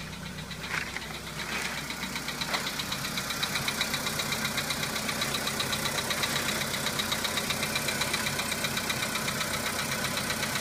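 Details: VW Polo Sedan engine at cold-start idle: crisp, regular ticking knock roughly two to three per second; knock fades as the engine warms up, cause not identified.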